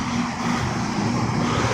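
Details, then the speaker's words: Outdoor A/C condensing unit, among older Goodman, Heil and Kelvinator units: steady loud fan roar, so noisy that the compressor running cannot be heard over it. "nothing's louder than my truck but again this noisy fan compressor isn't can't hear the compressor running over the fan noise"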